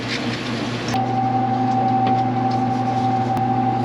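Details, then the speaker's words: Laundromat top-loader washer running: steady low drone with a high whine holding one pitch over it; the owner identifies it as the noise of a drum bearing going out. "that noise you're hearing that's a bearing that's a noise a top loader makes with a bearing going out"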